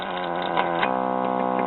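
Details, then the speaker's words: 1930s Belmont 110 VDC series-string tube radio chassis: a steady putt-putt motorboating with a low throb that continues with the RF amplifier and detector tubes pulled. It is suspected to originate between the detector and first audio stage, with junk on the AC line. "here's the RF amplifier T the motorboating still there let's pull the detector tube"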